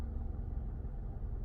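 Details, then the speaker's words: Car with hesitation/misfire and no codes, after spark plug replacement, throttle body cleaning and a replaced valve, with the A/C on: quiet, low, steady idle rumble with no stumble or shake; runs smoothly. "smooth na smooth so ito nga Pinalitan ko ng valve"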